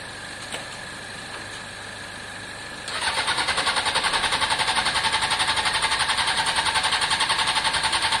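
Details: Honda CBR600 F4i non-runner, accident-damaged and unused for years: starter churns at a steady three to four beats a second, never fires. Last ran three years ago only with spray in the airbox; owner thinks the fuel pump is internal.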